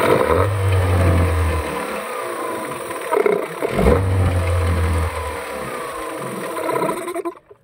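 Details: Yamaha 15 hp outboard that dies at low rpm in forward gear, tested with kill-switch wiring disconnected: catches, revs in two bursts, sags and stalls; switch ruled out, later traced to leaking reed valve and clogged carburetor.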